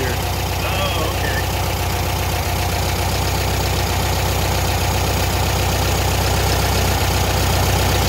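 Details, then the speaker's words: Air-cooled flat-four engine in a VW Thing during a tune-up, idle set to about 850 to 900 rpm: steady idle with an even low chuff at constant speed, no stumbles or ticking; runs nicely. "okay you can hear that car stucking oh yeah nice yeah it's rning very nice yeah I like it"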